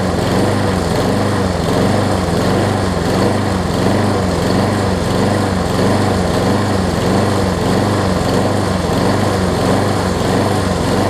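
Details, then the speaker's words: Craftsman self-propelled push mower, next day after flywheel key and carburetor replacement, started with starter fluid: small engine chugs with an uneven, surging beat, as if fuel-starved. Running rough; owner suspects the jet partially clogged again or the float stuck. "I think the jet got partially clogged again. All right. I think it's out of fuel, well, not really. I wonder if the float got stuck on it."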